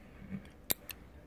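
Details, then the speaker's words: Automotive relay bench-tested off the car with a power probe: two crisp sharp clicks about a fifth of a second apart as the coil pulls the contact in and releases; normal relay click. "okay so that's the magnetic field being built up right here in the coil pulling this in"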